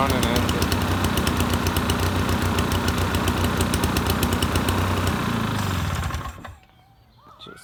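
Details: Roadside-found Toro two-stroke push mower with Mikuni carburetor, cleaned up, started on choke. Crisp, even two-stroke buzz with fast steady firing and no misses until shutoff; healthy running.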